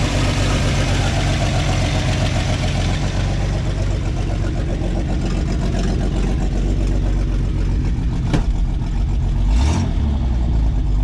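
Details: 1986 GMC S15 Sonoma at idle, not yet hot: loud idle with a fast puffing tick riding the engine beat. Massive exhaust leaks; owner says he knows exactly where they are.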